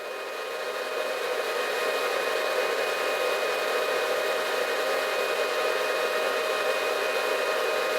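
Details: Antminer bitcoin miner drawing a stable roughly 1400 W: steady, even high-speed fan rush with a faint constant whine and no surging or rattle; normal full-load fan noise.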